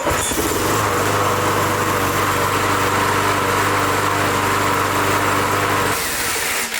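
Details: 22-year-old Briggs Touch-N-Mow spring-starter mower, spark plug wire reconnected: fires up and runs at a steady, even buzz for six seconds, then dies when the bail is released, which rewinds the starter; running fine.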